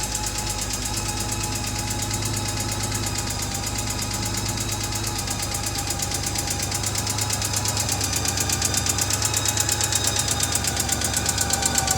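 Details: 2006 Honda Gold Wing GL1800 idling: steady sharp ticking over smooth hum; owner unsure whether valve, injector or something else.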